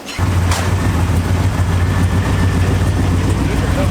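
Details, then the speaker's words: Integra idling after being reassembled with the exhaust previously straight-piped off the headers: steady even idle with a smooth low burble, no rasp or blat; normal idle, much quieter than before. "Sounds much better. Before it was basically straight pipe off the headers."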